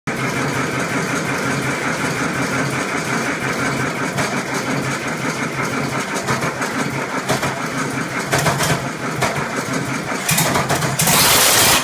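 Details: 1967 Oliver 1750 diesel at first start after its second overhaul: uneven, ragged clatter at a steady idle; injection timing was off, later corrected.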